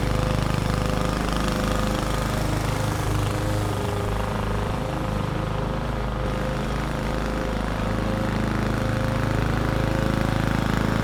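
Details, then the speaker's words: Roadside-found mower, model 11A-B2M7031, running after carburetor cleaning for bad fuel: steady even single-cylinder drone under mulching load, no misses or surging, started first pull; healthy engine. "no issues to report it started first pull and had absolutely no issues mulching the lawn"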